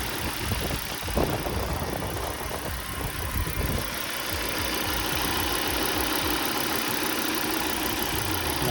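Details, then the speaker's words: 2003 Volvo V70 2.4 four-cylinder, code 3502: the engine shakes at a rough, uneven idle with irregular thumps and stumbles, a misfire traced by unplugging coils to a bad ignition coil. "este es el fallo y la bobina por aquí esto tiene que ser la bobina"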